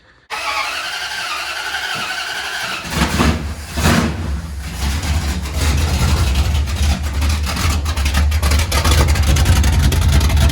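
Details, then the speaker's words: 1977 Dodge D200, freshly rebuilt 360 V8 with RV cam, long-tube headers, first start without mufflers; catches immediately, settles into a loud, lumpy open-pipe idle with steady cam chop, no knocks; running good, loud underneath: normal start and idle. "Everything's running good up here. It is loud under here."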